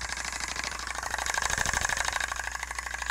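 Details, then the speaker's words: CTI Cryogenics cryoengine assembly, hot end of a split Stirling-cycle cryocooler with cold end missing, run at 12 volts on a table, shaking: fast even clicking two or three per second over light mechanical hum; cause unclear. "so it sounds like there some sort of like a clicking going on in this"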